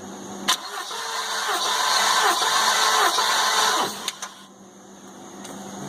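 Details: Engine reassembled after a worrying noise, plugs out for compression testing (cylinders around 165–170): starter turns it over evenly at about four beats a second with no odd clicks; good, even compression.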